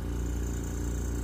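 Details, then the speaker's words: Invacare Perfecto oxygen concentrator just switched on, beeping before the green light shows oxygen flow: steady low compressor hum, even pulsing beat and a faint high hiss, running normally. "so uh with that uh we'll just go ahead and turn this on real quick and said you're gonna hear that beeping noise and then you should see a green light here once that green light turns on that means your oxygen is uh"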